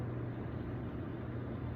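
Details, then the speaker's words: Hot tub jet pump after replacing a bad capacitor that left the motor humming without running: steady, even motor hum with low water rush, no stalled buzz; pump up to speed and running normally. "And they're working now too. So everything appears to be working as normal."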